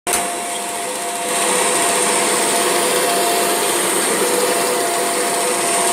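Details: Kirby G6 upright vacuum with belt lifted: motor howling steadily with a thin whistle and faint flutter over the airflow; strange motor noise, cause unknown.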